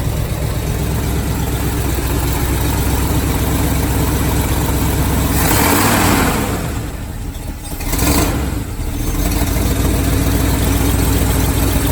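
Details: 1978 Chevy truck with an abused mid-70s 350 V8, long-neglected oil and sludge, ignition timing almost dead-on. Even, steady idle with one quick throttle blip that drops back cleanly: normal idle.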